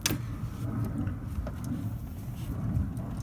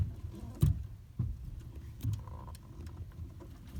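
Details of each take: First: Toyota Corolla after replacing the steering yoke (universal joint) sub-assembly: low even engine rumble with a few faint clicks as the wheels are turned, the former steering knock gone. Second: Toyota Corolla, steering wheel being turned: irregular dull knocks and clunks over a low rumble from a worn steering intermediate shaft yoke (u-joint); fixed by replacing the yoke sub-assembly.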